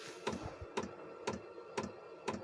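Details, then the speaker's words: Chinese diesel air heater that lost heat and threw E10: sharp even dosing pump clicks about twice a second, fuel moving through filter and pipe but burner gives no heat; suspected contaminated fuel. "obviously it's still lit because it's not getting any heat and it's not getting any heat because as we know there's no fuel going into the fire"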